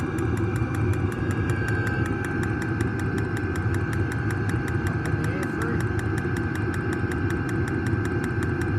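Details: New diesel heater just installed in a Jayco Freedom caravan, running normally after switch-on with glow plugs heating: steady low combustion rumble with a fast, even fuel-pump tick heard outside as it pumps fuel.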